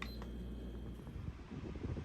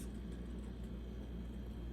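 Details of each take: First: Home Essentials stand fan, model HE168RC, running with a loud, steady, piercing squeal well above its airflow hum; squeaky fan before repair, cause not confirmed. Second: Home Essentials HE168RC stand fan on highest setting after oiling dry shaft and reassembly: steady even low motor hum with no squeak or chirp; squeak fixed, runs smoothly.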